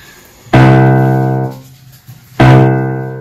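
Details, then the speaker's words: Grand piano ringing damper: with the right string muted, the left string keeps ringing after the key is released; damper fails to stop the left string. "if I mute the right string you hear that the left string is ringing"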